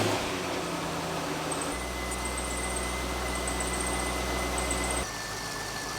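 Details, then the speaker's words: 2002 Chevrolet C5 Corvette Z06, about 180,000 miles, idling on a lift during a leak check: smooth, quiet, even idle with a soft steady hum and no knocks or ticks, like a well-maintained sewing machine; a healthy engine. "that's extremely quiet it kind of sounds like a well-maintained sewing machine"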